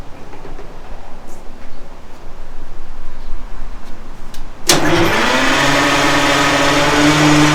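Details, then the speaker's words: Detroit Diesel 6-71 first start attempts, fuel pump suspected of not picking up fuel; after quiet stretch a steady, laboring starter drone with lazy cranking beat that never catches; battery nearly dead. "So you don't think it's anything serious? Battery's about dead here."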